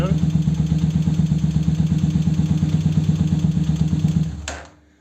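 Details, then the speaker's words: 125Z motorcycle after new starter motor (old one had burnt brushes, dragging and spinning too slowly): fast, even cranking whirr, no more crack noise, starts quicker at the button; normal. "Ya no se oye el cuando le daba uno la marcha. Ya no se escucha y aparte pues ya arranca más rápido."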